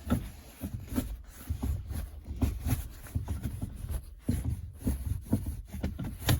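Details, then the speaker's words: VAZ 2115 gear lever after lubricating the linkage joint and new bushing with WD-40: shifting first, second, fourth, fifth, reverse gives soft dull clunks with no squeak. "Первый, второй, четвёртый, пятый, обратный. Скрипа нет."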